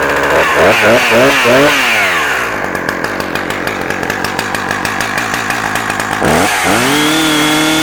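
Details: Husqvarna 359 chainsaw with 20-inch bar and chain and decompression valve: fires up, revs cleanly, drops to steady even idle, then picks up crisply; runs strong with no misfire.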